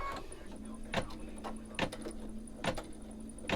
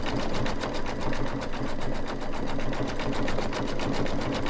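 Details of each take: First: Home embroidery machine about a year old with heavy use, stitching in a 5x7 hoop: thumps about once a second with a faint steady high squeal. Owner thinks it is a small internal fan squeak needing servicing. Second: Embroidery machine stitching a bicycle-with-hearts design: quick, even needle chatter with a slightly heavier, louder tone while sewing over earlier dense stitches; normal.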